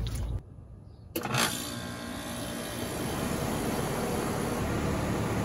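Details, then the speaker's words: Rheem central air conditioner outdoor unit just restarted after start/run capacitor replacement: sharp clunk then steady hum and airy whoosh as compressor and fan run smoothly; suction line already getting cold, normal running. "got everything running I can hear that compressors running"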